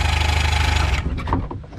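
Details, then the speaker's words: Sunken boat engine with a new gas tank connected and fuel confirmed at the plugs. Strong, even cranking for about a second but it never fires; spark not yet verified. "cranking it over it just doesn't want to start but it is cranking so we've made progress in the last 10 minutes the fact that it's cranking nice and strong"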